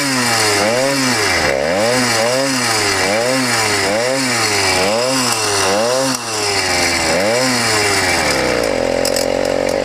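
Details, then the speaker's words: YD100 two-stroke on a motorized bicycle after ramped-piston work, one gasket only, warm: harsh metallic top-end rattle over the buzz as it is blipped, heard only once heated; owner suspects squish too tight and plans another gasket. "something is not happy inside the motor that's not the exhaust i think it might be the uh yeah it might just be a squish"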